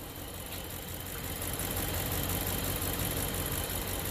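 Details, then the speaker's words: 2013 BMW 750Li 4.4 twin-turbo V8 idling with an uneven, lumpy beat, stumbling about three times a second. Cylinder 5 is misfiring, with a distorted ignition waveform and a combustion-too-short code; cylinder 1 also has a misfire. "so it's misfiring right now they're cylinder five and it's all distorted when it does yeah now it's looking like really bad"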